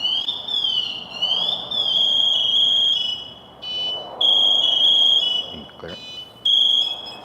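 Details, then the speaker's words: Firefighter PASS alarm set off because the wearer stays motionless, as if injured or trapped. A shrill warbling electronic tone escalates into loud, steady high-pitched bursts, getting louder to alert others. "we're going to hear that angry bird it's going to get a little bit louder and a little bit louder until it gets really mad and make sure that everybody in that fire knows"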